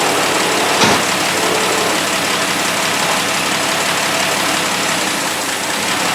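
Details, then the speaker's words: 1960 Dodge Dart Seneca with newly installed engine, first run after storage: loud, uneven idle with a lumpy, shaky beat around four per second; rough idle, engine shaking, carburetor later recleaned as something was still in it. "i think i have to do some more tweaking to it though the engine's kind of shaking a bit"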